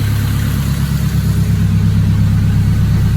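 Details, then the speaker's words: K-series turbo engine, first K series built, warm idle after about 15 minutes running, cooling system bled: smooth, even low rumble with no knocks, ticks or whine; no check engine light, good oil pressure, no overheating, normal. "Yeah, everything seems, there's no check engine lights, there's no funny noises, there's no overheating."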